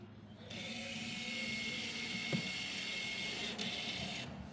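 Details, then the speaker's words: Mercedes SLK 350 rear electronic parking brake, diagnostic tool F4 deactivating assembly position after brake service; steady high electric motor whir for about four seconds then clean stop, EPB actuator working normally, rear brakes good. "So we're gonna press F4, and you're gonna hear this sound. Hear this sound from the brake, from the EPB."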